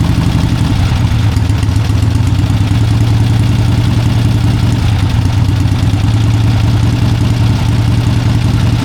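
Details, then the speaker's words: 1971 Harley-Davidson Ironhead XLCH: fast steady V-twin drone near 3000 rpm that never drops to idle; initially blamed on a sticky carburetor, actually a misadjusted throttle cable not closing the throttle plate; fixed by adjusting the cable. "But that carburetor really is sticking badly. Once you rev it up and you try to back off on the throttle, it won't back off."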